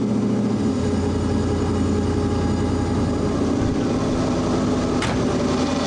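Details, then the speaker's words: Audi Quattro race car with 4-turbo LS V8 swap and AWD, first start after an engine-hoist rebuild, warming up: smooth even idle with a steady low rumble, no knocks or misses; normal idle. "So far, so good. All right. We'll throttle the pedal until it warms up, and then it idles."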